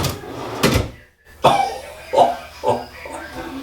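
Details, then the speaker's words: Cabinet drawer on newly installed KV full-extension ball bearing slides with correct setback and 1/8-inch spacer: smooth roll ending in a soft single thud with no rebound knock; bounce back eliminated. "let's try this one oh that is so sweet you get rid of that stupid bounce back that's in these drawers"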